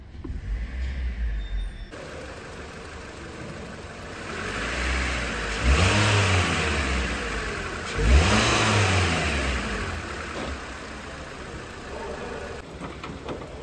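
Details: Toyota Corolla 2ZR-FE 1.8L engine, freshly rebuilt and installed, after the rebuild: it settles to a smooth, even idle with two quick throttle blips and no knocks, ticks or rattles; normal running.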